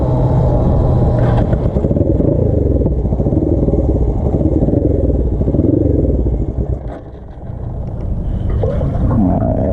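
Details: Custom Suzuki GS450 scrambler, choke tried off then halfway on: lumpy, uneven low idle that sags and nearly dies around seven seconds; rough idle from fuel starvation, petcock vacuum line disconnected so fuel line ran empty.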